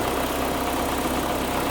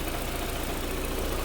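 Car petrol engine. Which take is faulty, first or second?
first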